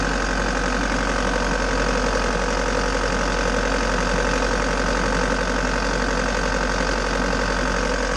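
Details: Bobcat T590 diesel after water pump replacement and coolant refill, started cold to check for seal leaks: even diesel clatter at steady idle with no hunting or knocks; no leaks so far, engine runs healthy.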